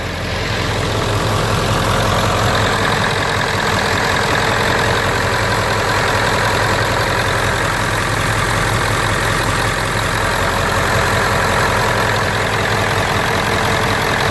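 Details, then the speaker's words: 1997 Ford F-250 Super Duty 7.3L V8 turbo diesel, first start after engine flush and 14-quart oil change, with International 466 cam position sensor fitted: steady, even clatter at idle with none of its usual lope; smooth, healthy idle. "So with that said, usually at an idle, this truck kind of somewhat has a little lope to it, and right now I don't feel any loping whatsoever. Wow, that's impressive."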